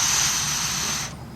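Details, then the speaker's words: GM EVAP purge valve, code P0496, car stalls when refueling, removed and unpowered: air blown through a hose gives a steady high-pitched hiss for about a second, flowing straight through when it should be sealed; leaking when closed, replaced with new part. "I should not be able to do that when it's in the off State"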